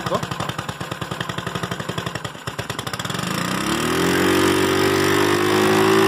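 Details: GY6 scooter after replacing the CDI: rapid cranking catches into a clean start, then the engine revs smoothly and evenly with no stumbling, running properly.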